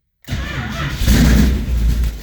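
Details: 1973 Plymouth Duster with a 440 V8 bored .030 over and MSD 6A ignition, cold start after sitting a week, three throttle pumps: the starter catches quickly and it fires first try, settling into a deep, even cold idle; normal cold start.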